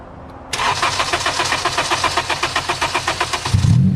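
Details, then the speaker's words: Honda Civic Si after RDX injector and new fuel rail install, primed with no leaks, fuel pressure holding at 55; even cranking then clean catch and smooth rev, no misfire; normal start. "it doesn't sound like it's misfiring sounds nice yes let's go bro let's go"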